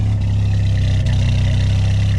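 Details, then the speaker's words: VW Mk2 Jetta started after sitting about a month, started right up: deep, smooth, even idle with no ticking or knocking; engine running great. "well it has definitely been a hot minute if you've seen the Mark II out of the garage but as you can hear it's still running great"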